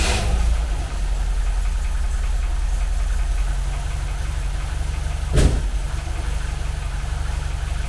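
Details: 1980 MGB with twin SU carburettors after balancing and mixture tuning. Steady, even low idle with a regular beat and no misfire or hunting. Carbs are well balanced.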